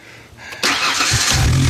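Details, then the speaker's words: 1993 Ford Explorer with an intermittent no-start and no spark, blamed on a bad connection; quiet crank, then it catches within about half a second and runs steadily. It has sometimes shut off when the hood closes. "all right there it is it started now sometimes the thing will will like for instance it it it shut off on me"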